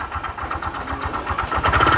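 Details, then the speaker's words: Honda Vario 125 scooter at idle with the CVT fully removed: steady rapid knocking keeping pace with engine speed persists; connecting rod (stang seher) suspected, not confirmed. "Ah, oke ya. Itu suaranya kayak gitu. Dan itu saya curiga ke stang sehernya."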